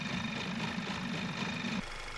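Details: 2010 Audi A5 2.0 TFSI petrol (CDNB engine) with rough idle, smoke from engine bay and lack of power: busy metallic chatter over the uneven idle from worn timing chains; fixed by replacing all three timing chains and the camshaft bridge valve.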